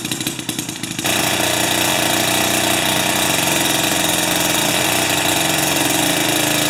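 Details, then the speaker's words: Jiffy 30 3HP two-stroke ice auger on 30:1 fuel, after repositioning the carburetor diaphragm and priming: starts after a few pulls and settles into a steady high buzz without stalling; runs normally, though it still backfires at full rpm. "okay i think i got it but i still can't get it to rip uh at complete 100 rpms without a backfire"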